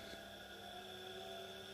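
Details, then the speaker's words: Small 230 V AC single-phase induction motor, no load, fed about 50 V from a variac after a push start: steady electrical hum with clear whining tones speeding up and holding constant pitch; runs freely and normally. "now this does work you can hear it speeding up so this one spins nicely at 50 watts"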